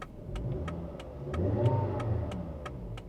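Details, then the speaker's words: Subaru Outback at auction: low, uneven idle sagging and surging as if about to die, with steady relay tick about four a second; odd electrical faults, AC and fan switching on and off with headlights. "What? Oh, it's trying to die. Okay."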